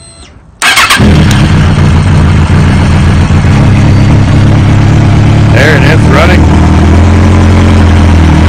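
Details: 2005 Kawasaki ZX-6R 636cc fuel-injected engine in the wrecked bike, oil half-full, in neutral, before a buggy swap: catches quickly after cranking and settles to a steady, even inline-four idle with no knocks or ticks.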